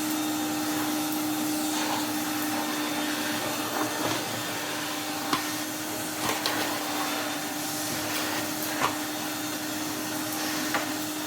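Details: 1993 Henry HVR200 vacuum after full restoration, strip, service and wash, motor unchanged: steady even motor hum with constant pitch, only small ticks as debris is picked up; normal running with full airflow and strong suction.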